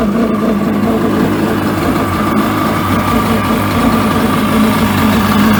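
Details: 1996 Mastercraft Wetjet Duo jet ski, revived after years of neglect with the water box refitted: loud, steady two-stroke running at even speed with no misses or bogging; engine runs normally.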